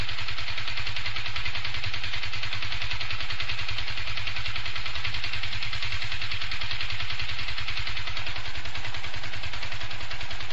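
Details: Yamaha FZ150i single at idle: constant metallic clatter over the engine note, worsening daily with heavy vibration; came back after overhaul, engine bearing and primary driven gear replacement; owner suspects valves, unconfirmed.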